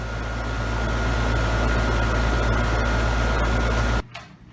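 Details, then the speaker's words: Two-year-old Carrier heat pump outdoor unit in heat mode in midwinter at about 38°F, with little frost on the coil. A steady low fan hum with a faint constant tone, even until it shuts off; normal running, with warm air at the vents. "Seems to heat the house up pretty good. Got a blast of Arctic air coming out the top of it here. Don't really notice too much frosting around the evaporator core as it's functioning right now."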